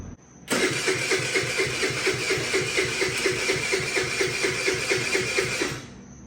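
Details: Bintelli 50cc two-stroke scooter test start after carburetor replacement, still on the old spark plug: it catches almost at once and settles into a quick, even buzzing beat with no misses, starting and running fine.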